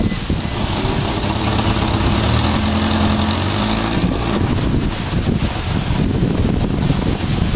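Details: Eagle Summit with suspected head gasket and compression problems, before the head comes off: uneven, lumpy low rumble with unsteady pulses, smoothing somewhat toward the end, running rough and barely running, cause unconfirmed.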